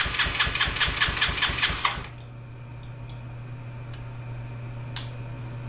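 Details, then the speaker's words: Yamaha 225DX three-wheeler with original carburetor, cranked on a jump pack, fuel line poorly sized and short: quick uneven cranking chuffs for about two seconds, never catches; still has carburetor issues, won't start. "I'm going to say she still has some carburetor issues so we're going to dig back into that we'll bring you guys back and see if we can't get this thing to fire"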